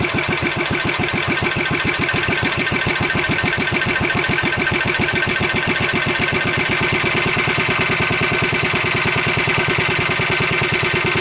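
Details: Wheel Horse 753 lawn tractor, single-cylinder engine run on choke then given throttle: steady fast thumping with a harsh scraping rasp that seems to be getting worse. Belt loosened and flywheel found still tight; a guard is rubbing.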